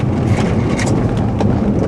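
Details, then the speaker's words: Tesla Model S rear cabin, recorded from the back seat on a bumpy road after the trim panel above the tailgate was removed and refitted for not seating properly: steady low road rumble, no rattle from the rear; only a water bottle rattles. "erstens klappert nur noch mein gott und meine selter flasche hier aber ganz hervorragend ich kann die jungs und mädels morgen loben da klappert nichts mehr"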